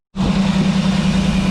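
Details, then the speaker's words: 1988 GMC Sierra 3500 engine running after plugging in the second fuel pump (it earlier ran only on starter fluid): catches and settles into a steady, even low hum with no misses or knocks; runs normally now. "boom got it going all right so once you wire in your fuel pumps it helps to have them both plugged in that's what it was"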